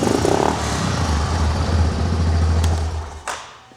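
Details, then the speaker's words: ATV started after its carburetor was cleaned and the petcock turned on, with the air filter still off: it settles into an even, low, steady idle with no misses or knocks; running normally. "and we're gonna go ahead and start it up. As you guys can hear, she's running, purring like a charm."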